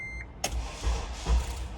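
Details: Honda Element K24 that overheated on low coolant, battery dead, with a new battery and AC off: after a chime the starter turns in slow, heavy pulses about every half second and the engine never fires.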